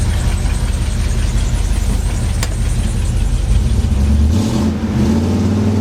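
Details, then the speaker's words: Squarebody Chevy truck in 48-degree shop, just fitted with used, slightly fouled spark plugs: fires up and revs with fairly even deep rumble, no obvious stumble; normal running, may clear up more. "those are used plugs too a little fouled looking so it might clear up more running"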